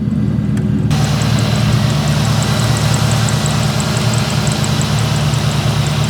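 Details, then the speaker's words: 2003 SVT Mustang Cobra at idle: faint high ticking chirp about three times a second over steady idle, quieter once running a while; dry front pulley bearing, bearings to be replaced. "I'm gonna pull it out quick so you can hear this noise one of them's making. Hear it? It's not as loud right now."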